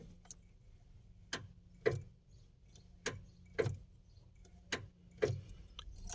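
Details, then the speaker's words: Car that only clicks when starting; single sharp clicks every second or two, no cranking. Starter solenoid clicks, no crank; battery or starter motor suspected, start wire found disconnected. "dar arranque el auto Nada más hace eso cuando tenemos esta falla puede ser falla de la batería o falla del motor de arranque"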